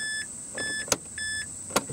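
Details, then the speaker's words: 2005 Mazda 3 after fuel pump and tank replacement, fuel pressure gauge connected: at key-on, a chime repeats about twice a second over a faint steady high whine as the new pump primes normally. "we should still be able to see what happens when we turn the key so here we go all right quite a bit of error in it but I can hear it priming too"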